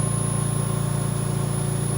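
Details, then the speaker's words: VMUS-DG1 ozone generator (double quartz dielectric corona cell) at 100% ozone output on about 6.7 L/min oxygen: steady, even electrical buzz with a thin high whine, its highest pitch, with no dropouts or crackle; normal corona hum. "Now at 100% ozone production, this will be the highest pitch buzzing noise that we'll hear from the VMUS-DG1."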